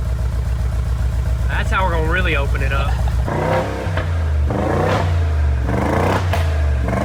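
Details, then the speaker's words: Rebuilt wrecked 2022 Mercedes G63 V8 with new Armytrix straight-pipe exhaust, revved shortly after starting: an uneven, lumpy beat instead of a clean pull. Runs rough, like running on two cylinders; owner suspects oil in the spark plugs after a rollover. "this tank rning on two cylinders it sounds like it maybe like we need to change like spark books cuz it was rolled over or something so oil could have got into them but it just doesn't sound right"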